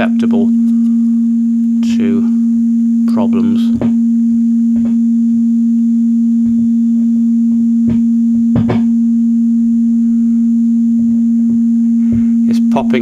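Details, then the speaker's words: Line 6 DT25 amplifier with intermittent sound that literally comes and goes: a steady hum runs underneath while sharp pops and bangs cut in irregularly as the leads and multi-connectors are waggled with a chopstick; loose connector suspected, not confirmed. "listen to that interpretency there sound literally came and went"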